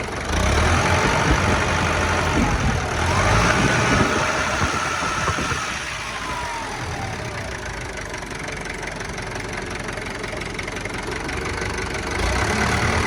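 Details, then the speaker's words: Kubota M9000SU tractor with a 90 hp factory-turbo four-cylinder diesel at idle while the hydraulics are worked. Even beat with rising hydraulic whines and clatter; hydraulics good, engine quiet and smooth; normal running. "ฟังเสียงเครื่องนะครับเสียงเครื่องเงียบมากครับนิ่มๆเลยครับ"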